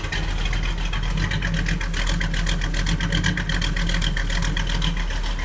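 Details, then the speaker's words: 1937 Buick street rod with 400 cu in small-block Chevy, runs hot, cracked exhaust manifold leak: deep, uneven loping idle rising and dipping a couple of times a second from an aggressive cam; otherwise runs good. "It's got a you hear it's got a pretty aggressive cam and uh it's just not this this is a this is a good cruising car."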